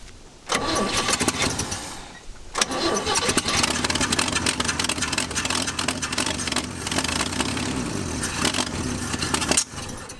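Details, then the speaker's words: Chevy C10 truck after sitting partly parted out for decades, first start on added fuel; two cranks, then runs rough and raspy with sharp ticking puffs from an exhaust manifold leak at a missing bolt; owner also suspects flywheel or clutch. "good Lord what is that sound what is that that sounded terrible are you good oh I see the exhaust manifold is uh broken the bolt is gone that's one reason it sounds terrible"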